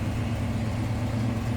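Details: 1954 Ford F-800 fire truck with Cargo King 170 engine, possibly a Y-block, carbureted: steady, even low idle rumble with a smooth beat and no knocks or misses; clean, healthy idle.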